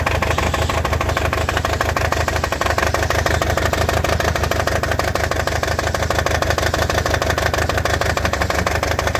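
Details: Toyota 22RET engine misfiring at idle: lumpy, uneven idle with a recurring stumble about three times a second that never smooths out.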